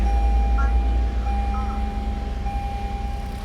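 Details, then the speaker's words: Toyota Avalon, restarted with no injector or plug removal: low even idle rumble with a steady chime, no stumbles; misfire gone. "So ayan ah, okay na yung andar ng makina. Hindi na siya palyado yan. Matining na yung andar ng makina."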